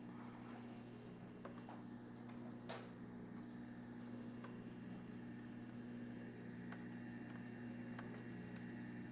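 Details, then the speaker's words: Juicer motor plugged back in after the stuck safety micro switch was freed; on/off and safety switches work, cord wiggle shows no fault: low, even, steady hum with no squeal, grinding or dropouts, running normally. "No problem. Onoff switch is working. Safety switch is working. So, good news for the person that owns this. This machine is still going to work just fine."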